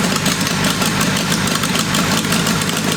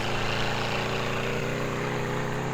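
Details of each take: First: Military 4-cylinder go-kart engine (about 525cc) with VM22 Mikuni carburetor, first test fire after tuning: busy uneven idle with a ragged beat that never settles; suspected runnability problem, possibly ignition. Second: Military 4-cylinder go-kart engine (about 525cc) with VM22 Mikuni carburetor, after tuning, on a warm-up lap: smooth even buzzing drone with no misses, all four cylinders firing cleanly under load.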